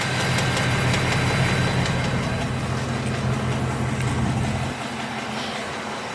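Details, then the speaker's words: Coyote-engined Mustang GT at idle: fast, even ticking, roughly three per second, over a steady idle rumble, like a typewriter; owner suspects the typical Coyote tick, cause not confirmed. "so as you guys can hear the ticking sound um as you guys can hear the Ticky sound um obviously it doesn't sound good but it sounds like the typewriter which coyotes have this Ticky sound that just tick tick TI while it's idling"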